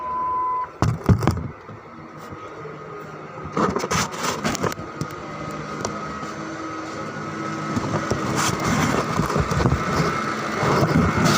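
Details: 2005 Ford Expedition V8 after replacing 4 ignition coils and cleaning spark plugs for a misfire: steady, even idle with no stumble or miss under some door and handling clunks.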